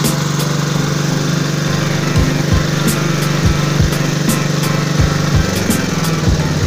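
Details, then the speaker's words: Generator that would not start or run, whose oil was very thick, black and nearly empty, running after an oil change and cleaning: a steady, even drone at constant pitch with no misses, surging or knocking. Normal running. "so Ayan mga kaalam ah pinaandar natin siya kasi nilagyan natin siya ng langis no at Hinugasan"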